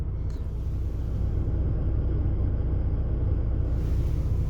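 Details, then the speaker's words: VW Golf TDI diesel, fully stock with OEM engine mounts, inside cabin; low steady diesel rumble at idle with even beat and no knocks or rattles, slight vibration; normal idle. "Currently, right now, the car is fully stock, so the stock as it comes from factory, stock mounts, stock everything."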